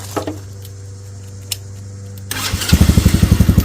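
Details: Tractor Supply Mini Jeep by Massimo after its stuck starter solenoid relay was replaced: a short starter whir, then the engine catches quickly and settles into an even thumping idle of about four beats a second; it starts cleanly.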